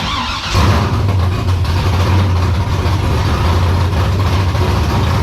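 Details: E82 pro drift build on its first start with fresh fluids, warming up to temperature: the engine catches and holds a steady, even idle with no hunting or surging. Adding an extra foot to the exhaust pipe fixed the earlier problems.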